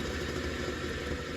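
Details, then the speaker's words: An inexpensive bench grinder nearly 50 years old, from the mid-1970s, vibrates badly. It runs with a rough, rumbling hum and steady rattle from a bad bearing on one side; the other side is tight. "now this side over here is tight has no movement at all but this side here hear that the bearing inside here has gone bad"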